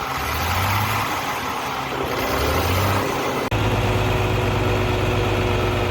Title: abnormal sound coming from engine